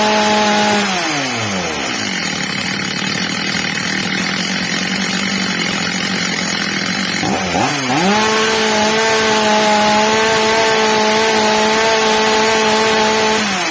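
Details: Old, well-worn Stihl MS230 chainsaw after fitting a new replacement carburettor, during its adjustment: strong high two-stroke scream dips briefly, then climbs back and holds steady, normal running.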